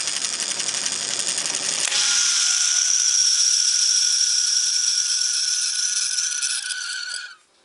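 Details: Antique ring-oiled Wagner 2hp electric motor winding down after switch-off: the hum drops in pitch while a dry, gritty rattle hisses on until the motor stops. The motor needs a new bearing; worn motor bearing.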